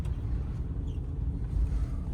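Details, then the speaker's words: 2014 Acura RDX, 154,000 km, winter tires, after replacing noisy hanger bearing with new aftermarket driveshaft; road test toward 60–80 km/h, only steady low road rumble, no whine or growl, driveshaft quiet and fixed. "so far so good I don't hear anything but let's bring it up to speed about 60 to 80 just to confirm"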